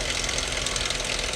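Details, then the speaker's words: Chrysler 2.7 engine at idle, AC off: busy metallic top-end clatter with no clear beat, louder on one side; valve train noise suspected, owner wants to check for sludge, cause unconfirmed. "All right, y'all hear that clattering noise? You know what's weird, guys? It sounds like it's coming from this side."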